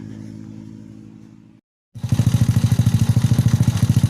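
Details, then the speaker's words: Honda Supra fitted with a Yamaha Mio CDI, pulser trigger bump not yet modified: hum fades to silence as the engine dies when throttled, then restarts with heavy uneven thumping; the pulser bump must be changed before it runs normally. "Ini kondisi Supranya belum dirubah tonjolan pulsernya, baru dirakit bagian CDI nya aja, cuman bisa hidup, tapi kalau digas mati, repet deh. Kalau digas repet."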